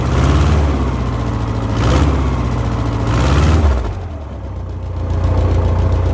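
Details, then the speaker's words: 1970s Layton roller compactor with Ford Taunus 60-degree V4, previously dying after 20 seconds from suspected fuel delivery issue, now repaired; deep steady V4 rumble, even speed with gentle rises and dips, no misses or knocks; running properly. "all right that sounds like we fixed it I'm shutting it off so I can uh get the battery"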